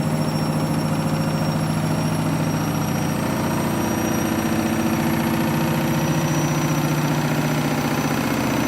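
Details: A Candy washing machine on its final spin with a half load of synthetics is very noisy. Fast rhythmic thumping, nearly four a second, runs over a steady drum hum; the cause is unknown.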